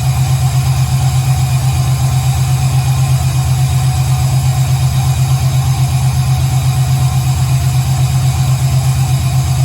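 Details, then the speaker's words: 1968 Camaro V8 with Holley fuel injection on its second startup, correct injector data not yet entered and idle still needing adjustment: a deep, even lope of about two pulses a second with no ticks or knocks; it sounds healthy. "this is technically the second startup that sounds amazing"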